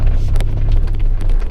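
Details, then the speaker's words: Toyota T100 2WD after fixing the doors' metal-on-metal clanking with Gorilla tape over the body contact points: driving fast on a rough dirt road, steady low rumble and wind but no door rattles or buzzing; cab completely silent. "I wanted to listen to the doors, and it's completely silent, and I'm really happy about that."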